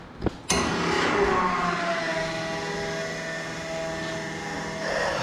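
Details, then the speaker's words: Newly installed GPI fuel transfer pump: after a click the motor spins up into a steady mid-pitched hum that holds even with no grinding or surging; normal running. "sounds like she's working. All right. She works."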